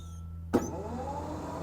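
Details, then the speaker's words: SaltDogg Pro Series spreader spinner motor wired directly to a 12 V jump box (white positive, black negative). A sharp kick at switch-on, then an even, steady whir; the motor runs healthy. "As you see, it's running good. And that's always going to be at full 12 volts, you know, cuz we charge the jump box."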